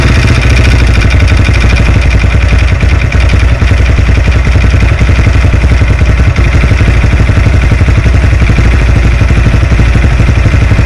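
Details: Lifan JR200 motorcycle engine, after a crash, investigated for a foreign knock: rapid, regular clattering knock riding on the exhaust beat at idle; piston slap from a scored cylinder and worn skirt; runs somewhat quieter after reassembly.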